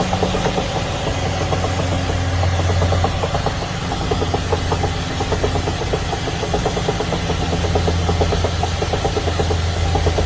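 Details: Engine running steadily with a sharp, regular ticking knock over a low drone at constant speed; the source is not pinned down. Engine knocking noise, cause suspected but not confirmed.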